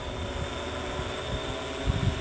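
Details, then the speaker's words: Yuneec Typhoon Q500 4K quadcopter in windy flight about 95 ft away horizontally and 25 ft up: a steady, even whir with a constant high tone and gusty wind rumble, strikingly quiet; healthy flight. "and I can't believe how quiet it is"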